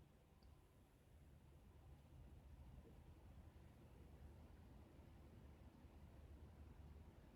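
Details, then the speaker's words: Alternate PC power supply plugged directly into wall outlet: soft steady low hum with only CPU fan noise, no buzz or whine, for comparison with a buzzing EVGA GQ 650. "so the PCU is plugged into the wall and now when I turn it on there is no noise coming from this piece"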